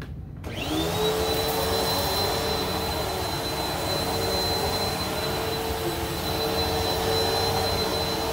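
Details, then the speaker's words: Bissell PowerForce Helix purple brushroll after replacing its bearings, with a new belt fitted; steady even motor roar with a clean high whistle and no rattle or grinding; smooth, healthy brushroll spin. "let's hear how smooth it sounds that's almost like brand new i have a new belt on there too"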